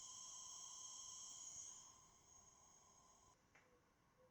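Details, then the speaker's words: Hantarex color vector arcade monitor under repair, powered on with no inputs and deflection yoke voltage very low: faint, steady high-pitched hiss with a thin whine; high-voltage section noise, a separate unresolved issue. "And of course, we can still hear the high voltage noise, but that's another issue."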